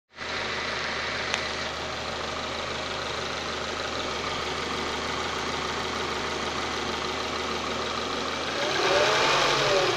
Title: Prelude grinding and whining noise